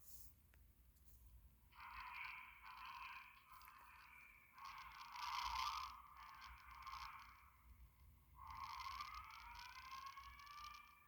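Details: Fire alarm board demo, pull station pulled with the strobe turned off: bursts of a loud sweeping electronic whoop, a few seconds each with short gaps, as the alarm sounds.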